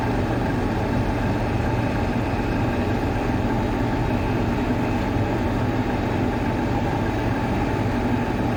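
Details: Water cooler fan motor running normally: steady, even low hum and airflow rush with no ticking or scraping; the fan motor runs smoothly.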